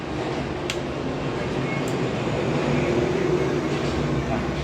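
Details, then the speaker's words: Two-door refrigerator not cooling after compressor stopped in a power outage, after repair: steady low hum and even drone, no knocking; compressor running normally, current down to about 0.9 A from 3–4 A. "ini sudah jalan. Ini kompresornya sudah jalan."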